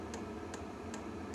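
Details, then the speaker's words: Diesel heater for the steel sailboat SY Carla, running: sharp light ticks about 2.5 per second over a low hum from the dosing fuel pump, which is felt through the table; normal pumping, but the owner finds it noisy. "I can feel the fuel pump in the table. So, I think that'll make a huge difference."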